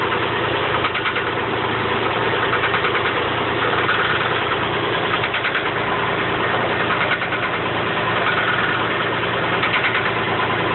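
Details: 1985 Chevy Camaro Berlinetta at steady idle: uneven knocking ticks about three a second that do not always occur; source of the intermittent knock unknown.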